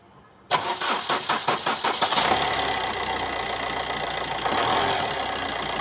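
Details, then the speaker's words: Maruti Suzuki Swift that broke down and would not start because water entered the ECM through a broken connector with cut pins; after fitting a replacement ECM, about eight quick cranks then starts cleanly into smooth steady idle. "இப்போ பாருங்கள், நல்லா start ஆகி ஓடுது. ECM தான் கம்ப்ளைண்ட்டும்."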